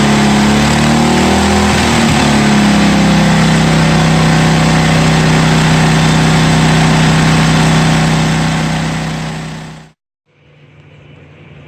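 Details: 1982 John Deere 108 lawn mower being built into a mud mower, first start after fitting a different carburetor and a new exhaust: brief rev settles into a steady, even idle without hunting or stumbling, then shuts off cleanly.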